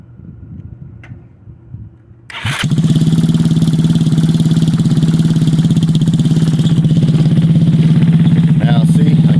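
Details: Abandoned GY6-swap build, start after wiring the controls, ignition and headlight, started with the key: short crank, then catches and settles into an even putter of about 3.5 beats a second; clean, steady idle.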